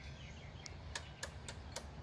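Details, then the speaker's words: 1970s Pioneer CT-6R cassette deck, thrift-found, first power-up: sharp uneven clicks about three times a second over faint hiss, rewind, play and head rotation do nothing, head apparently not rotating; transport fault, cause not found. "When I press the head rotation, nothing happens. Play button, nothing happens. It's making a clicking noise."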